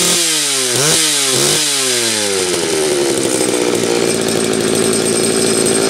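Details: Homelite 330 chainsaw, once near the trash heap, on its first test run after a quick repair with the oiler starting to pump: crisp blips climbing and falling in pitch, then a clean high rev; runs strong, normal idle and revving.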